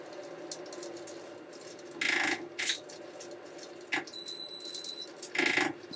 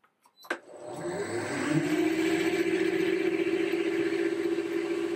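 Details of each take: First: Motor converted from pulleys to inverter drive, retested after 3 years, slowed to about 100 RPM: thin high-pitched squeal over low hum comes from the inverter at very low speed. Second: Lathe drive with variable speed motor and inverter fitted 3 years ago, starting up: motor winds smoothly from rest into steady even hum toward about 1,460 rpm, no knocks or roughness; normal run-up.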